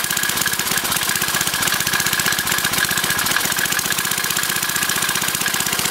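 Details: Briggs & Stratton 5 HP engine converted to run on propane from a barbecue grill tank: small single runs steady at a fast even beat of about four pulses a second, no misses or knocks; runs fine.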